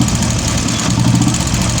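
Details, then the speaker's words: Royal Enfield Classic 350 UCE single-cylinder: loud idle with rapid metallic tapping each beat from hydraulic tappet; weak oil pump pressure blamed, oil pump and hydraulic tappet to be replaced. "ये गाड़ी का hydraulic tappet आवाज़ कर रहा है।"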